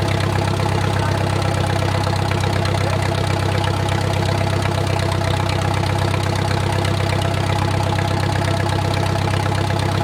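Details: Wartime H tractor, run after 20+ years sitting, idle slowed down while warming toward operating temperature with a typical oil leak burning off: a steady, even low idle thump with no knocks or misses, a normal warm idle.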